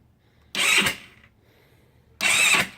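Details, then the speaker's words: GY6 scooter engine at its first start after the top-end was reassembled and the oil refilled, with fuel on and a charger connected: the starter gives short whirs, then quits on its own and the engine never fires. The owner suspects the cam chain is too tight. "See it spinning. Look at that. It kind of Nuco charger just went back to dead. So I'm holding it on, but it stops on its own."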